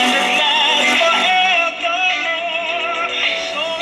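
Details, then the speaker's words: Small 1960s Japanese "Hi Tone" five-tube AA5 radio after a new on/off volume switch was fitted: clear music and singing at steady volume with no hum, crackle or dropouts. Working properly. "so it's working sounds pretty good"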